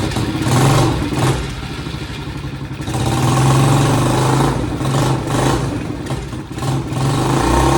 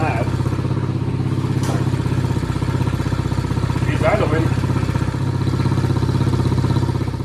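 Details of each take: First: Chinese 50cc ATV left outside for years, first start after fitting a new carburetor. The small single-cylinder revs in uneven bursts, sagging and picking up, and won't hold a steady idle; cause not confirmed. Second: Chinese 50cc ATV left outside for years, running on a newly fitted carburetor. The small single-cylinder putters at a steady, even idle of about four beats a second with no misses, idling nicely.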